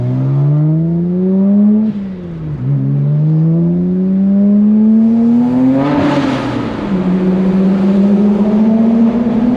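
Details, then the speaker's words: 2009 BMW E82 135i N54 on test drive after new two-step colder NGK spark plugs: smooth, even engine note climbing through the revs, dipping on a shift and rising again, no misfire or stumble; runs healthy, feels different. "Before putting it back together, it's always kind of nice to turn it on and make sure that it works."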